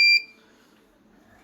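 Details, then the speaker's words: Generic Chinese eight-channel DVR security recorder: a single sharp, high-pitched electronic beep that dies quickly; the alarm sounds because no hard disk is fitted, confirmed on opening. "todos los dbrs que hacen ese ruido es porque no tienen disco duro"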